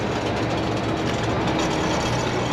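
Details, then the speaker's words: Semi truck at highway speed near its delivery: steady road roar with a rough metallic scrape and tinging underneath as something drags; found to be a snapped fuel tank strap dragging under the truck. "That does not sound good at all. I swear it's one thing after another with these rigs, man. You can't go too long without something breaking."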